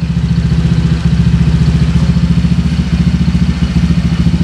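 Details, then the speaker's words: Honda PCX160 scooter after fixing a clattering belt-drive knock at idle and on throttle: steady even idle thump, exhaust note only, no clatter; normal idle. "inilah suara foto-fotonya dia itu yang terdengar hanya suara knalpot"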